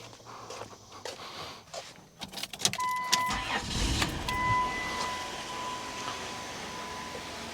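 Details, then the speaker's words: 2002 Chrysler Town and Country (Caravan twin) that had a no-crank, no-start: after the PCM was replaced it cranks briefly, catches and settles into a quiet, steady idle with a warning chime. The new PCM fixed it. "And that right there is running. You can see the engine is going. And so that right there fixed it."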